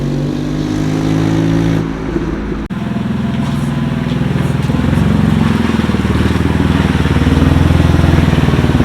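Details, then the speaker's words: BMW 128i with stock exhaust: loud raspy note with a puffing, ticking edge on each pulse as revs climb, not how it should sound; exhaust leak, later hunted with soapy water. "No, it doesn't. It's not supposed to sound like that. That's stock exhaust too."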